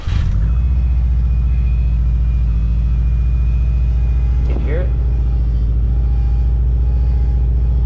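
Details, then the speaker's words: 2012 Subaru STI at idle: steady high whine over engine from power steering pump, air in the system due to leaking power steering lines dripping on the floor; before line replacement. "you guys can hear that so there is air in the system and uh that air is super super annoying to one listen to"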